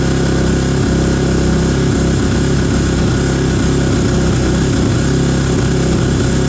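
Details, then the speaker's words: Kawasaki KX450F after fresh fluids and tune-up, cold engine in cold weather on high idle: even, quick thumping idle, no knocks or misses, some coolant burning off radiator; healthy. "all right got a little bit of uh coolant burning off of the radiator where we filled it up we're still at high idle it's uh it's cold here so"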